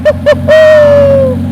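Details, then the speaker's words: Mercedes S65 AMG, M279 V12, restart after full rebuild following oil starvation seizure: two quick starter bursts, then catches cleanly and flares before easing to a smooth, even idle; healthy, normal start. "I can do this all day. Just mind-boggling. Just listen to this thing fire up. Beast."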